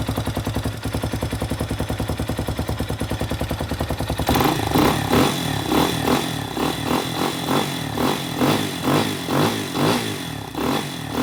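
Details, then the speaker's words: Spark SP250 (Loncin 166FMM / RE250) single-cylinder motorcycle at about 3,500 km, after valve adjustment, briefly warmed on choke: even quick idle pulses and clean throttle blips with no tapping or misfire; runs normally. "Все зібрав, все працює. Клапани з поршнем не зустрілись."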